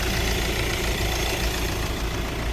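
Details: 2014 Hyundai Santa Fe idling after radiator replacement, coolant refilled and system bled: smooth, steady low hum with a little hiss, no ticks, knocks or surging; normal idle.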